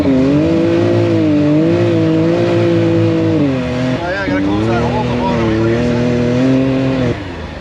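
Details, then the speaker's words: Can-Am Maverick X3 EVO after an R3 tune install, first test ride: engine pulls with a rising tone and a whistling hiss. Thought to be the belt, now called turbo hiss; owner unsure if normal or an air intake leak. "So yeah, the power turbo, that's the turbo hissing. Yeah, well, you can hear the turbo hissing. I actually thought it was the belt."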